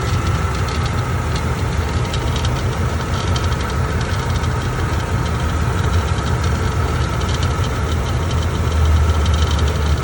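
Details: Loose transmission metal line under a 1998 Jeep ZJ 5.2L at idle: engine rumble with a faint, uneven tapping from underneath; rattle traced to the loose trans hose.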